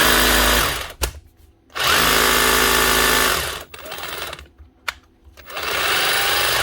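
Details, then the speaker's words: 2024 Bosch GBH 36 VF-LI Plus 36 V SDS hammer drill, in for warranty repair: short bursts of a thin, steady whir that runs very slowly and never reaches full power. Burnt-out motor suspected though it doesn't smell burnt; the controller is possible. "Yeah, running very slow, mind you. Yeah, so I'm not right there. That's actually a burnt out motor."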